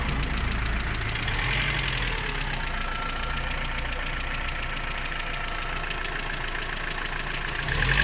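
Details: Rover 25 idling with a strange uneven tapping about four beats a second over the engine note; abnormal engine noise at idle, source unknown.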